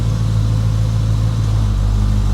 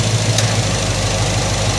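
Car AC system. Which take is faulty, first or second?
second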